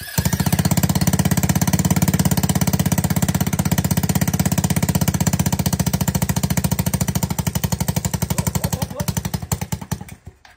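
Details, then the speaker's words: ATK 125 go-kart single-cylinder with no muffler yet: loud, raw bark at steady revs with uneven pulses, then it dies. Carburetor no longer leaks. Owner suspects a loose intake from hammering. Loud unmuffled exhaust, rough running. "I guess I ain't worked all the bugs out of her just yet. Yeah, she's pretty loud. That's okay. We're gonna fix that."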